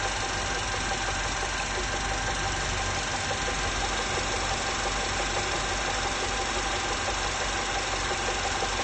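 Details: VW 1.8 TSI at idle: dull, fairly regular knock about three a second through the steady idle, suspected piston or bottom-end knock, unconfirmed; knock at idle.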